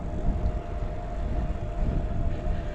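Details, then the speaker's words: Mahle X35 (ebikemotion) hub motor on Ribble CGR AL e e-bike, riding in lowest (green) assist: faint, steady mid-pitched whir under heavy wind rumble; slight, smooth, healthy motor sound. "so the sound you can hear now if you can hear any is the slight whirring in the lowest setting"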